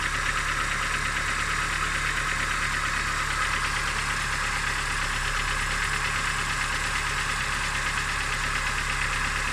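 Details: Steady idle with a rapid, fairly regular tapping knock about three a second; owner asks what this engine knock sounds like, cause unknown.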